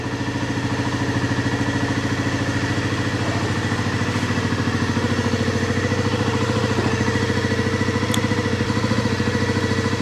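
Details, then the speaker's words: 1997 Honda CB50V Dream 50 (AC15) DOHC four-valve 50cc single, revived after about 15 years sitting, on stock ignition: even quick putter about three pulses a second, no valve-train noise; clean, healthy idle, exhaust air still cold. "I thought we'd be hearing valve train noise there's nothing"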